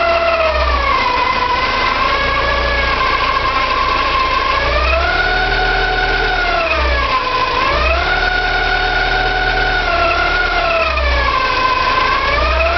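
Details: Porsche 944 2.5 naturally aspirated 8-valve: high squeal rising and falling with revs over a rough grinding idle, from the front of the engine; hard to locate, owner suspects oil pump or balance shaft.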